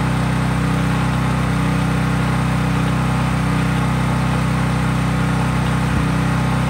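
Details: Craftsman 5000 W generator at full speed with only an LED bulb plugged in, effectively no load: steady, even drone at constant speed, no surging or hunting; normal no-load running.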